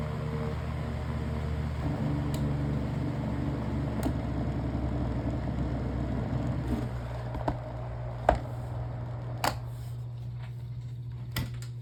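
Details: Black desk fan after replacing a damaged blade, with the shaft notches aligned to the blade slots, run through speeds one to three: a steady low hum with an even drone and no wobble or rattle; normal running, much better than before.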